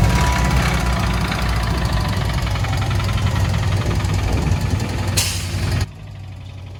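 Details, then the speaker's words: Subaru, engine failed on the freeway and towed, second engine failure for owner: heavy, deep repeating knock under rough idle, over three per second; owner says it definitely sounds like rod knock. "it definitely sounds like rod knock now so damn"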